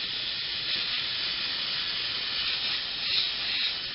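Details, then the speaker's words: Personal Cushion Lift for rising from the floor: with the pump switched off, the manual air release valve is opened fully and a steady, even hiss of escaping air follows as the cushion deflates and shrinks, normal venting. "unless you open the manual release air release valve here at that point the pressure will be leave from the cushion Christian will get smaller"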